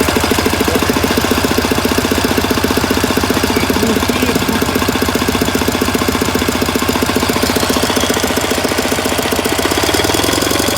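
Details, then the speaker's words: K750 motorcycle with throttle added: steady run with rapid sharp bangs about 220 a minute riding on the engine, owner says seemingly from the air filter; source of knock undetermined. "Появились какие-то странные звуки, которые доносятся как будто бы из воздушного фильтра. Какие-то такие бахи."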